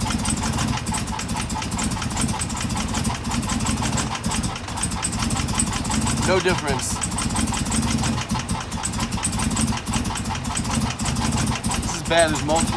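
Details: 2016 Chevrolet Camaro LT1 V8 on fresh E85, hard starting and rough idle, during coil disconnect test with no change on several cylinders: choppy, uneven idle with dropped firing pulses. Misfire, later traced to a cracked valve spring.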